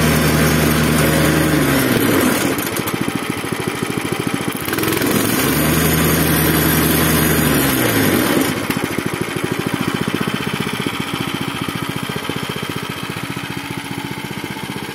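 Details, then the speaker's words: Zipper plate compactor single-cylinder engine (arrived smoking, running unevenly, stalling, lacking power), after fuel system washed and cleaned, strainer refitted, tank refuelled, started on choke: steady even beat near idle, brief rev changes, no misses or surging. Repair judged successful. "i jak wam się podoba jego praca uważam że chodzi nieźle jeszcze sprawdzę maksymalne obroty co nie kręcił się za wysoko"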